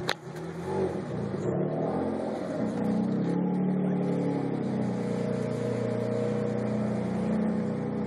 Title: Rough idle after ~20 min shutdown.